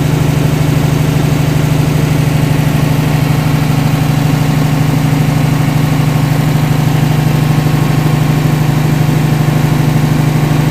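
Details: DC-control diesel genset with an actuator replacing the solenoid, idling slowly at start-up while the speed controller awaits the MPU signal; even, steady low chug at about three beats a second, no knocks or misses; normal slow idle.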